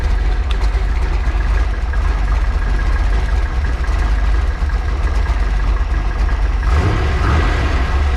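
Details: Freshly built 408 stroker small-block Ford Windsor on break-in oil, warm, electric water pump: even, steady V8 idle with a smooth low rumble, no misses or knocks; running healthy.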